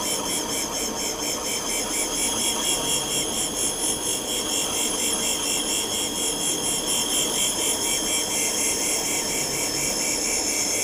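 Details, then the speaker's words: Cylinder head valve seat refacing with abrasive stone at same angle as valve: steady, even high-pitched abrasive hiss with light pulsing, no catching or chatter, judged by ear to mean full contact all round and a smooth seat. "Dès que tu as le bruit qui est constant, c'est que ça porte partout? C'est que ça porte partout et que tu es lisse."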